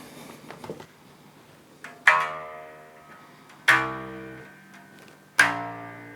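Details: 2012 Japanese-made Fender Jazz Bass after setup (neck relief and string height set, about 2.5 mm at 12th fret, strings radiused): plucked notes ring and decay cleanly with no rattle; no fret buzz.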